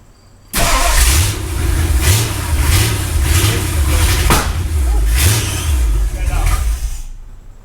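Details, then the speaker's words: V8 in a Ford Galaxie 500, first start after restoration: starter churns in an uneven, labouring rhythm for several seconds without catching; ignition timing is off, distributor to be moved a tooth to advance it; no start from incorrect ignition timing. "so if you couldn't hear that what was that probably about to move that distributor a tooth probably okay try it again all right so dad just said that if you couldn't hear him there said that the timing was too so he adv"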